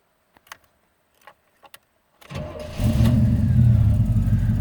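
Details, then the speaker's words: Cold start of a 1934 Chevy V8 with a 700R4 automatic, engine cold on a warm day of about 87°F. After a few clicks and a short crank it settles into an even, deep rumble. Cold oil pressure about 50 psi, temperature gauge not yet rising, no smoke; normal. "cold oil pressure is around 50 lb temperature gauge is not coming up yet got a nice little [Music] Rumble all right no smoke"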